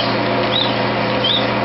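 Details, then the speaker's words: Missouri wind permanent-magnet generator driven by a 1.5 hp lathe under load, output around 28–33 watts: steady drive hum with two faint high squeaks about 0.7 s apart; squeak source not pinned down. "Jumping back and forth, I hear it squeaking a little."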